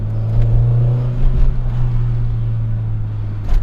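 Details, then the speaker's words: 1989 Honda Prelude driving after valve adjustment and a new valve cover gasket: steady, smooth engine drone with no misses, knocks, or exhaust popping or backfiring. "Really smooth. I don't have that exhaust valve spitting, like that backfiring that everybody loves."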